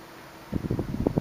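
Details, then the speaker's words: 1976 Electrohome 30 cm (12-inch) desk fan on low speed: a very quiet hum with a run of irregular dull cracks and knocks, heard when it oscillates. "here it is on low speed it's very quiet as you can hear but it makes a few cracking sounds like I said when it oscillates"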